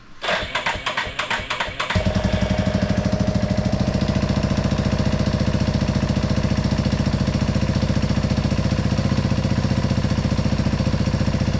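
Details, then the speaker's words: Big Bear 350 ATV after freeing a stuck carburetor float and fitting fresh fuel hose: fires after a brief crank and settles to an even, steady single-cylinder thump, with smooth, progressive throttle response as it should be. "That throttle feels really good. Just progressively revs, you know, the way it should."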